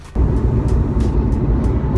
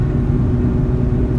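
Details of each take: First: Mazda RX-8 at 40-60 mph: deep, steady droning rumble beginning around 40-45 mph, worsening to 55 and fading near 60; worn front hub wheel bearing. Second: Mazda RX-8 after quick fix for bad front hub bearing, test drive around 40–60 mph: smooth, even low road rumble, no hum, growl, vibration or wobble; hub bearing now sounds normal.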